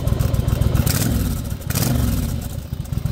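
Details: 1992 Yamaha Virago XV1100, originally an XV750, built from parts bikes: lumpy, loping V-twin idle with an even firing beat and no extra clatter or misses; healthy-sounding engine.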